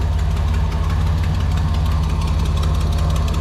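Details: 1987 Nissan Pathfinder VG30 V6 after head gasket replacement, warm idle with a light, uneven tick from one side; owner unsure whether piston slap or exhaust leak, vacuum leak and timing still need work.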